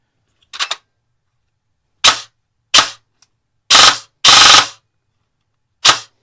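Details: Airsoft gearbox with newly installed Solink LITE 28k budget brushless motor, motor height set: six crisp single shots in semi-auto, each a quick clean snap with no grinding, whine or drag; cycling normally.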